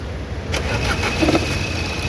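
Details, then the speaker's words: Nissan Terrano diesel, code P0203, after injector service and replacement of one faulty injector coil; check light on, possibly because the MAP sensor is unplugged. The starter cranks briefly, the engine catches cleanly within half a second and settles into a steady, even idle. "Starting एकदम perfect है जो कि यहां पर देख सकते हो"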